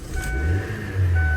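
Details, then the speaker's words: Chevrolet Spark with high fuel consumption and hard morning starts: low uneven idle that sags and slowly climbs back with throttle held, stalling; mechanic blames a clogged throttle body, worse in winter. "Yurgizganimizda ko'ryapsizlar, оборот tashavorib o'chib qolyapti."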